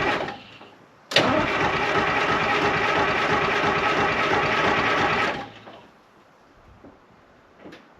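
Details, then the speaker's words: 1975 International Loadstar 1850 with Detroit two-stroke diesel, blower just fixed, first start attempt, idle setting unknown: four seconds of loud steady cranking at about three beats a second, slow to fire, dies without catching; cranks but will not start. "[Music] so i'm thinking she needs a little bit more"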